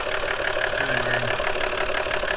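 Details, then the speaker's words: Lexus IS300, manual, original exhaust, no codes or performance issues: idle with quick light ticking from the top end and a thin steady whine dropping with revs; water pump suspected but ruled out, source unknown. "see no codes no performance issues I mean it runs great crappy noise coming from the ends and I have no idea what it is"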